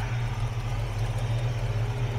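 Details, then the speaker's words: 1967 Chevrolet C10 stepside pickup at idle, walkaround: a deep, even rumble with no misses, knocks or ticks, running smooth and steady; the oil is gray and due for a change. Normal idle. "but it just sits here and runs i mean it just sits here and runs"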